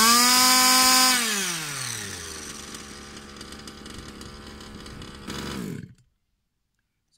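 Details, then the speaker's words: Customer's Baja small two-stroke RC engine on fresh fuel and a different carb after a little tuning. High revs drop smoothly to a steady idle, then clean shutoff: normal running. "seems a lot better with this call that much ring damage a little bit of tuning and it ran now"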